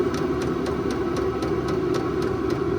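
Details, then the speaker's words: VEVOR 8 kW all-in-one diesel air heater running on high, drawing 20° outside air with 230° output. Light, even fuel pump tick about four per second under fan rush: normal fuel pump ticking. "hear the fuel pump slow down as you as you turn it down basically it goes from 1 to 10 so you can hear how much slower it goes"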